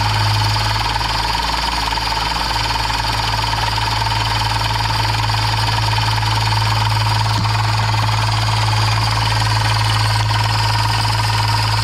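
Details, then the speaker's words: 2015 Subaru Outback engine running, near the AC compressor: steady hum with faint uneven rattle about two beats a second; AC compressor clutch loose and wobbling, complaint had been belt noise from a loose belt. "let's start it take a look at that ac clutch and you'll see it just start flying off the rail it's just floating in there"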